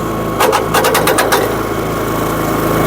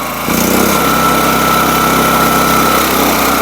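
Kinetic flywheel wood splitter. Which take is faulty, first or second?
first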